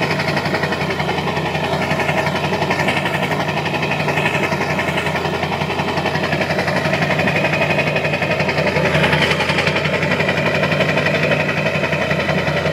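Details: Diesel with a modified HPOP pump idling rough: uneven, lumpy chug of around four beats a second that don't stay even; rough idle, cause not confirmed.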